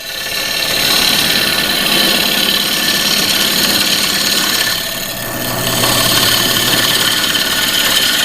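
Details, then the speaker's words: Woodturning lathe, turning the bottom of a low-profile hollow form. A hissing cut with an uneven chatter of about 3–4 beats per second as the gouge bounces over a knot in the wood. "The knot doesn't make it any easier because it makes the tool want to bounce."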